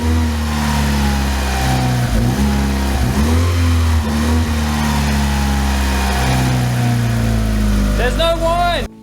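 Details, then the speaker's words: Car engine with the accessory belt removed: a steady whir rides over the idle and climbs in pitch with revs, so the whine persists. The owner suspects the timing belt; cause unconfirmed. "The whine absolutely drives me crazy. It's the one thing left that I hate about this car, now that the paint's fixed."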